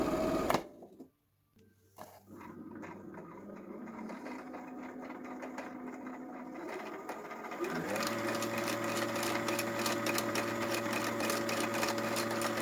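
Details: Janome 2030QDC computerized sewing machine, after lubrication: after a pause it settles into a quick, even stitching whir, about four strokes a second, steady and smooth; running normally.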